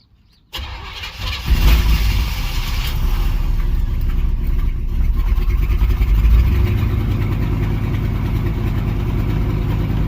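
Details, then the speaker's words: 305 H.O. small-block Chevy, cold first start of the day at 61°F, choke open, after one pump: cranks and catches, holds fast idle near 1200 rpm only with gas pedal held; stalls without throttle. "Stalled again. Wants to start. Won't start unless I'm gonna start it, hold my foot down on the gas."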